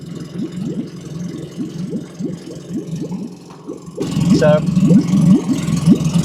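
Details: Tohatsu 20 hp EFI outboard on an Orkney Coastliner 14 in a water tank, first start after winter lay-up on fresh E5 petrol, in neutral with warm-up lever raised and choke: brief cranking, then catches cleanly to a steady idle.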